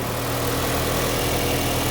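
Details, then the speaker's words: 2003 Nissan 2.5L after timing chain and water pump replacement: even, steady idle with smooth low drone, no shaking, misses, knocks or whine; normal idle. "That's how it's supposed to sound. Feel way better about that. Way better. That sounds good. Look how smooth that is. No shaking, no nothing. It's solid. No noise."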